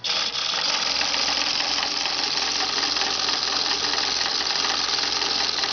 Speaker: The thing's going back and forth so fast that I'm sure the camera's not detecting it, but. Man, they're both just chattering.